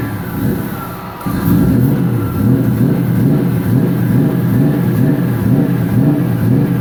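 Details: 1999 Nissan Frontier SE, turbocharged VG33E, newly built and run briefly without coolant after leaning the mixture toward 14 AFR: it holds a fairly even note with a gentle surge, with no misfire or knock. Healthy running.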